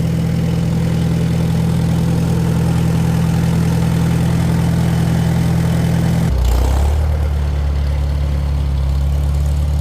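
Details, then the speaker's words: Farmall Super M-TA gas tractor, cold start in the 40s °F with a little choke, no starting aids, choke then off, with an added finishing-touch modification: deep steady low idle dropping to a heavier even lope, no knocks or misfires; healthy. "I also added this on here, just a little finishing touch. Sounds good, thunderous."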